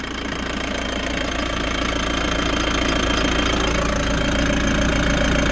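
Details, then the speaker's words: Frankia A595 motorhome, old Nissan diesel, sat 12 years, restarted after filters were installed: little smoke, oil pressure present, steady rhythmic diesel clatter at idle with an even beat and no misses; a runner. "yeah I would say that's a runner uh it's gonna shut it down we'll finish this one out Okay so we've answered the question yes it does start"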